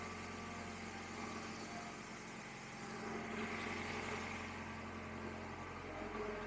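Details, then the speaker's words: 1999 Acura CL, cold engine idling right after a jump start in sub-freezing Minnesota winter, weak battery: soft steady idle with an even beat, no knocks, misses or rattles; settling and running smoothly. "so an extra 30 seconds of run time here won't make much of a difference but we're going to leave the engine running while we get our charger set up"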